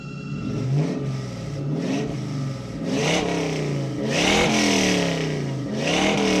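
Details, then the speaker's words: 1966 Mustang with a 4.6L modular V8 swap and new 2.5" straight-pipe exhaust, restarted after the first fire. Deep, even V8 burble climbs cleanly through several sharp revs and settles back without misses or knocks; healthy. "eek but i am so happy with it it is sounding so good"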